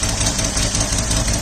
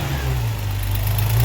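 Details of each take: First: 1979 Opel Monza series 1 barn find, six-cylinder idling lumpy and uneven on five cylinders; pulling the number 6 injector plug changes nothing, and a noid light test later points to a faulty number 6 injector. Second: 1979 Opel Monza series 1 six-cylinder after the injector fault was sorted; deep, even rumble swells with each throttle blip, no miss, running on all six; an exhaust leak remains and the tappets are still unset.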